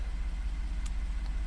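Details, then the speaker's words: 2014 Ford F150 3.5 V6 EcoBoost, ~91k miles, after new Motorcraft plugs and Duralast coil packs fixing P0303 cylinder 3 misfire: low even idle rumble, no stumble or vibration; normal idle. "And it already sounds and appears to be idling much smoother. No vibration like it was before. No stumbling."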